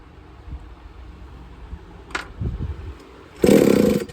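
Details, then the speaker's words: Used Redcat Rampage XB RC car with a Walbro 990 carburetor, pull-started while setting the needle: a few faint pops, then a half-second burst that dies. Bumps but won't keep running. "all right see it's bumping a little bit if it's not bumping go ahead and start with quarter turns"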